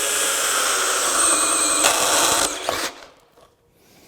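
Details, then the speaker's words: DeWalt Atomic 20V brushless 1/2" drill/driver DCD794 drilling a 1" spade bit on low speed: steady high whir under load, then sharp clunks as drive is lost; gearbox slipping at speed selector, gear machining or spring pressure suspected. "There's that gearbox issue again. That's just not safe."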